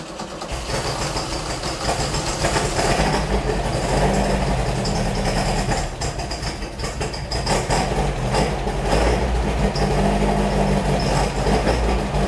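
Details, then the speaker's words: Beck 550 Spyder replica, VW-type air-cooled flat-four with Dellorto carbs, just started after a jet cleaning and likely not yet warm: an uneven, lumpy, wandering idle; the right carburetor is thought to be well out of adjustment. "I think the right carburetor is very much out of adjustment too"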